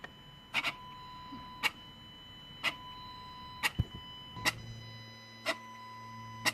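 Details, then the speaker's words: VW 1.4 TSI inlet regulating flap J808 (P10A4) after cleaning, output test with battery on charger: crisp ticks about once a second with a faint motor tone; actuator cycles normally, basic setting passed, no faults logged. "so we're gonna hit output test now regulating flat for compressor he'll start"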